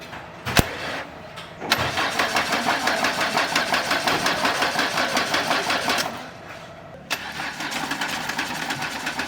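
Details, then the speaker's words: 1998 Renault Laguna 2 2.0 petrol, 509,000 km, started before cylinder head removal: loud, regular clatter from the top of the engine; source in the top end not yet located. "üst kapaktan ses geliyor ama nereden olduğuna bakabilmemiz için kapağı indirmemiz gerekiyor dediler"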